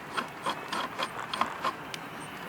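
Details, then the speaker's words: 1987 Johnson 70 hp outboard gear case turned by hand in neutral: dry scraping, ratcheting metal-on-metal rasps; gears suspected run without oil in the case. "doesn't sound like anything I heard that day it sounds like memo on metal almost sounds like there's no friggin oil in this gear case"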